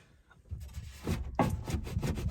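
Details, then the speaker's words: Front driver-side power window: the felt strip toward the front of the door has popped down and is unseated, not the regulator slider; the glass gives a dry scraping rub with scuffs and catches as it slides on the loose felt. "This little felt guy right in here. It's not seated."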